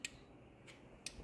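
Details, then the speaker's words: EK Civic with J-series swap on Speeduino, pre-start check with the engine off and no fuel pressure: sharp, crisp ticks about once a second as one injector pair cycles at 50% duty cycle on an output test, heard from outside the car; injectors firing cleanly. "and then for the injectors I just turned on 50 duty cycle you can see I've got a light flashing inside the spuduino case if I go outside you can hear that pair of injectors cycling"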